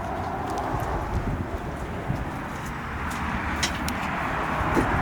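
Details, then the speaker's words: One-ton-axle-swapped Jeep Cherokee XJ on its first test drive at around 45 mph: light, uneven taps through road noise as the front bump stops hit, because the front coils are wrong for the weight and it sits about 2 in low. "These bump stops are really annoying."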